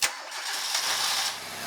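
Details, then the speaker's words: Starter current test with DC clamp meter on a car: short crank, quick catch, steady idle; draw peaked about 110, 123, then 132 amps as starter warms. Normal crank and start. "And I got up to about 110 amps. It flashed up real quickly and see that. And I'll try it again. Hit 123 that time. 132 that time. Again, my starter's getting hotter."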